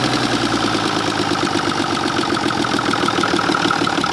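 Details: 1960s Mack diesel truck, second day of revival, about 55–60 psi oil pressure: busy, uneven clatter with a lumpy beat, one cylinder not pulling.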